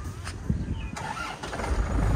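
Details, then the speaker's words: 2007 Isuzu Panther Grand Touring diesel with a dry engine and no oil seepage: brief crank catches almost at once on the first turn and settles into a steady diesel clatter; battery (Yuasa) still healthy. "Sekali putar langsung cegreng ya. Jadi akinya masih sehat."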